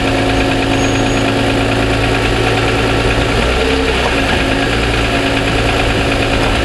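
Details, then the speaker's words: 2007 Toyota Sienna petrol engine idling on a cold start with the mic in the engine compartment: a faint light tick rides over the hum. The dealer acknowledged it and suspected piston slap, which they consider normal; the cause is not confirmed. "on cold start I'm having problems with the engine making a ticking noise and you know they don't deny hearing it and they um thought that it was uh piston slap"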